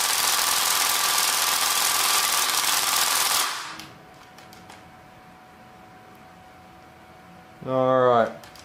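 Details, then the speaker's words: Gearbox with a T238 brushless 480 motor, shimming roughly adjusted: fast, harsh cycling buzz stops dead after about three seconds. The pinion grub screw had come loose, letting the pinion ride up and jam the gear. "what happened is the pinion gear actually um worked its way up and jammed into the gear allowing it not to turn anymore uh the grub screw had come loose"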